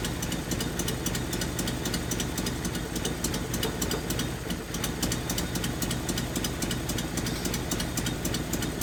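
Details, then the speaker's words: 1981 Nissan 280ZX straight-six, five-speed, sat about 15 years: lumpy idle with an uneven stumbling beat and occasional skipped pulses. The rear fuel injector isn't firing, so that cylinder misfires. "nope yep yep so this injector back here is not firing"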